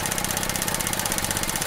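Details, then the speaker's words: At idle after freeing a stuck-open purge valve that caused fuel trim codes, valve commanded on by scan tool: fast even ticking as solenoid clicks open and shut; purge valve solenoid pulsing normally. "I'm going to command it on. You hear it pulsing now as before it was not."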